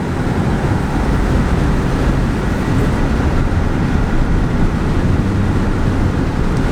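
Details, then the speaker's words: Audi RS3 on the highway at about 110 with the sunroof open; heavy low drumming roar pressing on the cabin from wind buffeting. "just makes like a noisy drumming sound which is horrible"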